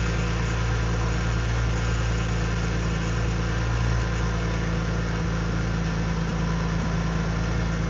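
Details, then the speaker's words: Infiniti G35 drift car with VQ V6 engine at idle: constant low hum with faint whirring over the engine note. Owner says low power steering fluid was making the noise and fluid still needs adding: power steering pump noise. "That is power steering fluid that was making that noise."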